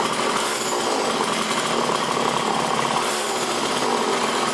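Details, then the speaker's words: Poulan trimmer Model 117 after about three years stored, tune-up done and throttle cable slack readjusted. The small two-stroke gives an even, raspy buzz, no surging, with the spindle not turning and the clutch working: normal idle. "So the clutch is working well, everything works good."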